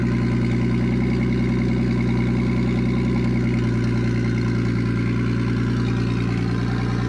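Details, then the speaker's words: Nissan Stagea RB25DET first start after new ball-bearing turbo and braided oil and water lines install, airflow meter unplugged, no dump pipe so very loud: steady idle, even low rumble, no knocks or misses, some smoke from residue; healthy. "Oh, well, there you go, guys. I'm beyond stoked. That turbo sounds sick. It's definitely ball bearing."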